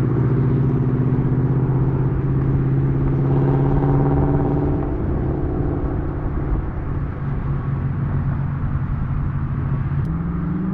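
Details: Ford Mustang with Coyote V8 after new exhaust and Y-pipe install fixing a months-long rattle (traced to a fender bolt), recorded from outside: low steady rumble with smooth pulses, no rattles or buzzing; healthy exhaust.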